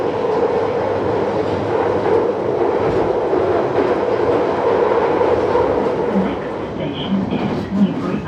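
Loud sustained high squealing over the rumble and clatter of a moving underground train, a wheel-on-rail screech while running.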